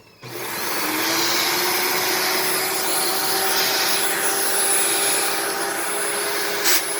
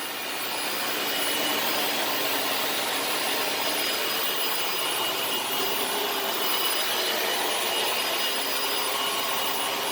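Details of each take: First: Dyson DC18 Slim All Floors vacuum, made December 2006: steady roar with a thin constant high whistle. Owner suspects cyclone shroud holes plugged with cat litter rather than the motor, and plans to clean the cyclone assembly. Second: Dyson DC18 Slim All Floors vacuum made in December 2006, running after its reset button was pressed and the brush spins again: steady high-pitched motor whoosh with even airflow hiss, no grinding or stalling; normal running.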